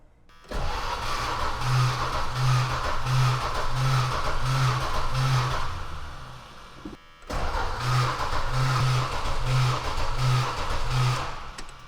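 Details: Vehicle with clean oil: two long cranking bursts with steady starter churn, about one compression pulse per second, engine never fires; owner then checks the fuel filter and finds a loose fuel line.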